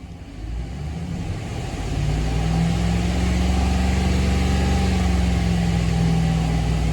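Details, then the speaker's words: 2016 Ram 1500 5.7 Hemi, all plugs and coils already replaced: held around 2,500 rpm, steady drone with an irregular stumble three to four times a second; misfire on cylinder 3 at high rpm, not under load, cause unconfirmed. "Yeah, it's missing at high idle, but not under a load. Not high idle, but high RPMs. So at like 2,500, it starts missing."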